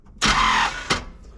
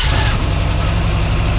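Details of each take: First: 1979 Chevrolet C10 sitting for years, fuel line disconnected: starter cranks half a second then stops with dull thunk; Bendix engagement or flywheel issue suspected, not confirmed. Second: 1979 Chevrolet C10, probably 350 V8, first start in years after fuel pump issues: deep even V8 burble at idle, short rev blip, then shutdown; healthy running.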